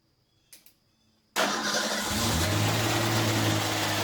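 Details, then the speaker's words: First start of a 1989 Ford Ranger engine swapped into a 1987 Bronco II (replacing its 2.9L): starter catches at once, settles to steady even idle, no knocks or misses; normal start and idle. "Okay, here's the first start with the Ranger engine in the Bronco."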